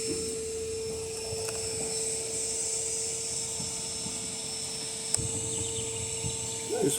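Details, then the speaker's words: Electrolux LTC10 washer in spin: constant mid-pitched whine with a couple of knocks from the drive mechanism; possibly a loose bearing turning in the base or the transmission shaft at the seal, cause unconfirmed. "ó isso aqui dentro do apartamento faz um barulho danado"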